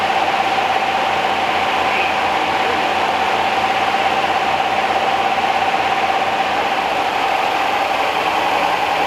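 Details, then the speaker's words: 1969 Rover P6 Series 1 3500 V8 automatic, running after 16 years in a garage: even, smooth idle with a soft steady hum and no ticking or rattle on top. Quiet and tight, a healthy engine. "quiet as a mouse well the red s we had rattled like a diesel like a perkins when we started it but this didn't raffle at all"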